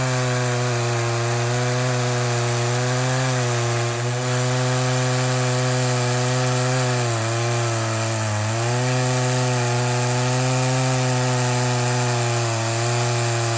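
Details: Poulan 2075C chainsaw (owner thinks 32cc, 16-inch bar, old safety chain) after a carb mod and tune, cold start at about 15°F: a high, steady two-stroke buzz dips briefly as it bites wood, then recovers. It runs normally under load.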